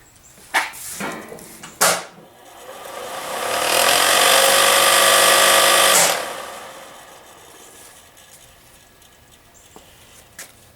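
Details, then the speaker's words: Removed Rheem gas furnace draft inducer assembly (3200 rpm, 230 V, 60 Hz): quiet when spun by hand, but under power it runs loud, rough and rattly from vibration, motor or fan unclear; replaced as a whole assembly. "but you can hear when I spin it by hand it doesn't really make any obvious noise but when you power it up it's noisy"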